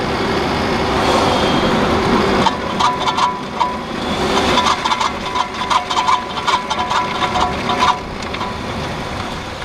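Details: 2009 Nissan Murano LE, rattle from front left wheel only during hard low-speed right turns at 10–15 mph: bursts of quick light rattling clicks over road and engine noise; owner suspects splash guard between steering knuckle and hub, unconfirmed.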